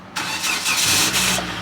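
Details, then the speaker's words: Kia with 135,000 miles from Copart, theft-damaged ignition started with screwdriver: short crank catches fast, settles into even steady idle with no misses or knocks; brake light on; normal engine start. "would you look at that it is a run and drive it actually sounds healthy"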